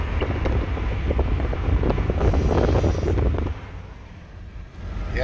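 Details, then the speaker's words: Acura TL with aFe throttle body spacer and Takeda intake, about 1700 rpm under throttle: brief wavering high squeal over engine rumble, seeming from intake or accessory belt side; cause unknown. "it's about 1700 rpm and when you give it some throttle it has a really weird squeal"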